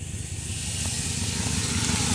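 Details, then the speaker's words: 2002 Chevrolet Silverado 2500HD 6.0L gasoline V8 with P0300/P0332 codes: idle turns uneven, low stumbling chug with dropped beats as random misfire starts after running a while; plugs, wires or coil suspected. "there it is now we're starting to misfire i can really hear it chugging"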